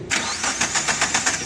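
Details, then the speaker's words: Suzuki Carry Futura 1.5 injection that died while driving: even strong cranking with no firing despite good compression, timing and fuel supply; cause was the corroded/damaged left body wiring harness. "Oke untuk suara mes ini sudah ada kompresi ya karena kalau masalah timing tidak Pals atau putus itu suara Mesinnya ngelos"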